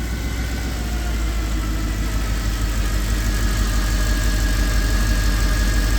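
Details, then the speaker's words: Mercedes E63 AMG V8 after breakdown and bank 1 misfire codes, winter: deep even burble at warm idle, no miss or knock after a brief rough moment at start; sounds normal, though limp mode expected when revved. "Sounds just as good as ever."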